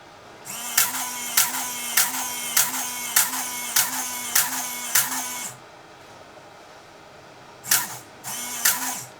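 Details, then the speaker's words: Nikon L35AF with stuck shutter and no power, fed 3 V from a bench supply at battery terminals, switch suspected: repeated whirring motor bursts each ending in a click, about every two-thirds second; film advance keeps counting frames nonstop, not in rewind. "it's Counting pictures one after the other so why is it not stopping"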